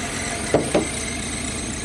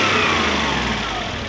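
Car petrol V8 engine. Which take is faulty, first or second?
first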